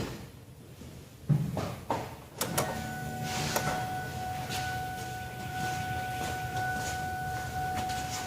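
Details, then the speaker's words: Shop car with a meter back-probed to the battery: key turned on gives a few clicks and thumps, a steady chime, and relays and pumps cycling on; the meter reads 12.5 V, dropping; normal key-on chime and priming. "And you can see the dinger dinged when I turned on the key. You heard stuff cycle on, and my meter is now registering 12.5 volts, or battery voltage, and quickly dropping because it's a shop car battery."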